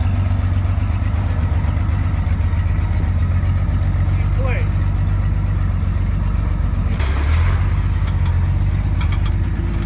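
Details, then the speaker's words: Restored 1953 Chevy 5700 COE cab-over truck, Western Nebraska project truck off the road about 50 years, now finished, running and driving: deep, steady idle with an even low rumble that holds its beat, normal idle. "it's finally here and it's finally done and it's finally ready for sale runs and drives 1953 Chevy"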